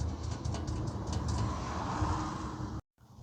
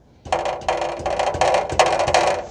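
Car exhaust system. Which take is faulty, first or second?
second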